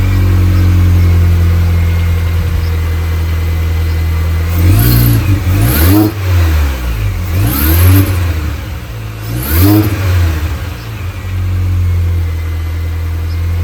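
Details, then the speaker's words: 2005 R53 Mini Cooper S (supercharged) with lift-off noise and power loss, after timing chain, supercharger service, intake gaskets and catalytic converter removal: quick revs from idle, odd sweeping drone on each throttle snap shut; noise persists, cause unclear. "still doing it so there's now all the intake gaskets and everything have been changed the timing's been changed the cat's been taken out of the system"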